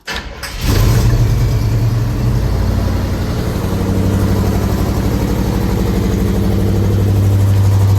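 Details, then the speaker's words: 1984 GMC S15, current engine, with a leaking fuel tank; starts and settles into an uneven, loping idle with a recurring stumble, a misfire of unknown cause. "So you can hear the miss. She's not happy."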